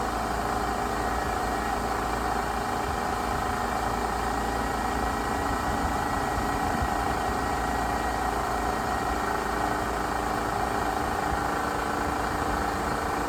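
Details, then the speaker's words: 1997 Pontiac Grand Prix after heater hose repair with new hoses and clamps, coolant topped off, idling to bleed air: even unbroken hum with faint steady whir, no knocking or stumbling; normal idle. "So we're going to top off this coolant and fire it up and get all the air out of the system."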